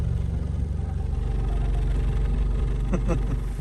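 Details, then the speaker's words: 2010 Chrysler Sebring 2.4L idling in reverse with brake held: deep pulsing drone and throbbing shake through the whole car, water and watch vibrating; worn front motor mounts, to be replaced. "i'm holding the brake car is in reverse and look at the water and i don't know if you guys can hear it but the whole car is vibrating"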